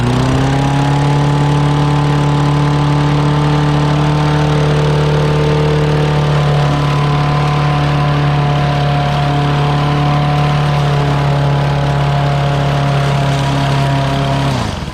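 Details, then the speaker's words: Murray 6HP lawn mower recovered from the trash, smoking with water in the muffler. It runs at one fixed speed with an even drone that never responds to the throttle cable. Governor problem suspected. "It does seem to be a problem. I bet you there's a bunch of stuff with the governor."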